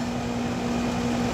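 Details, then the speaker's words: Amana 13 SEER 1.5-ton outdoor AC unit after repair of a compressor that would not start (4-blink locked-rotor code), thermostat calling for cooling: steady low compressor hum under even fan whoosh, no buzzing or clicking; normal running. "Put the disconnect back in. Sounds better. Fans on. Compressor's on."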